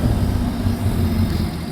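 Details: Sea-Doo RXT personal watercraft idling in neutral at about 1500 rpm on the water test after reassembly and adding a quart of oil; steady, even low rumble with no knocks or misses, running cleanly; a sensor error shown, last checked as just the compass.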